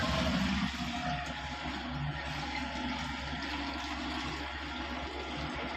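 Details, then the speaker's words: Midea 6.5 kg washing machine MWMTLO65ZOY, few days old: constant filling that never shuts off or agitates, overflowing from pipe; pressure-switch hose bent so level never sensed. "तो अभी पानी पूरा भरने के बाद भी पाइप से ओवरफ्लो हो रहा है, पानी निकल जाता है।"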